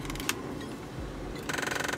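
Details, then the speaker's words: 2005-09 Ford Mustang, key on: rapid even ticking about twenty clicks per second behind dash between dash and speedometer, failing HVAC blend/defroster door actuator; the last of three to replace, two already done. "Yeah, you hear it. It's back here. One more, which is good. Because way back then, I had all of them going on. It was annoying."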